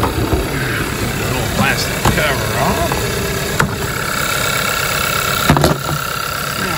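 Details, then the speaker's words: 2014 Hyundai Elantra with coil-on-plug ignition, in gear and power-braked: an uneven, stumbling idle that chugs, with a flashing check engine light for a severe misfire. Unplugging the coils one at a time traced it to a failed ignition coil. "but if i go ahead and put this thing in gear and break torque it or power break it you'll hear maybe chug a little bit and now we've got a blinky check engine light so that tells you even the ecm is seeing a severe misfire"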